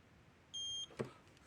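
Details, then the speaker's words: Gallagher Smart Scale 200 after a circuit board repair and battery change, tested with a Gallagher weight simulator: one clean high beep of about a third of a second, then a soft click; it reads and locks weight normally. "Crank it all the way down, 0. Yep. Medium or manual mode. Yep. Okay. Scale's working fine."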